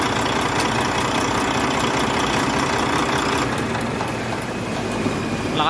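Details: Volvo truck diesel, likely D13, engine ticking noise; light sharp ticks about three per second over steady idle; valve clearance and injectors due for adjustment.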